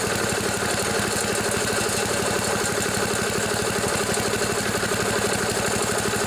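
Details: 1974 Sears Craftsman Rotospader rototiller, Tecumseh single-cylinder, revived after barn storage with new carburetor, mixture screws set 1 and 1.5 turns out, air filter off: steady even fast idle, firing cleanly with no misses; runs well.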